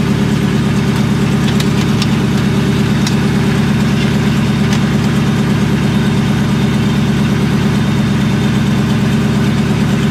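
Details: Supercharged 99-04 New Edge Mustang GT 2V (Vortech V1 Ti-Trim, 2.87 pulley, BBK 78mm throttle), first start after tune at performance shop: loud fast idle with steady low drone and uneven lumpy beat, one cylinder misfiring.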